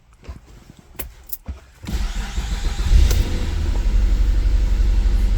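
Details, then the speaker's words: 2008 Mazda CX-9 cranks, catches and settles into a rough, uneven idle; code P0201, cylinder 1 injector open circuit, no voltage or current on the scope. Engine misfire. "definitely a misfire"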